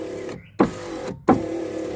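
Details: Daimler window after repairing a damaged wire the glass had been catching: clean motor hum then firm stop clunk, twice; window travels smoothly without snagging.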